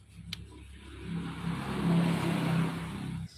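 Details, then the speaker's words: Yamaha RX King two-stroke with a customer complaint of stutter at low rpm: a choppy, uneven note that stumbles as revs rise. "Keluhannya berbet di RPM bawah."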